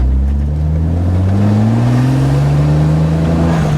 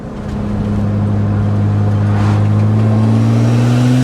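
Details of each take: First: E30 with a swapped N54 twin-turbo six, after fixing a high-boost misfire, on its first test drive: a fourth-gear pull uphill at 35 mph, the engine note climbing smoothly and evenly with no stumbles or misfires. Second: BMW N54 twin-turbo swapped into an E30, new turbos and all six coils replaced, on a fourth-gear pull around 30 mph: pulls hard and climbs evenly, then stumbles and cuts out briefly; repeated cylinder three misfire at high boost.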